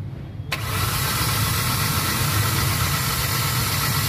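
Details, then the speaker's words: Hyundai Accent gasoline with no spark on cylinder 1 (codes P0300, P0301, P0302) has a stumbling, lumpy uneven idle, blinking check engine light, no power and strong engine vibration. A dead ignition coil is suspected. "Check engine. Nagbi-blink. Walang power ng makina. Tapos ah engine vibration ang lakas."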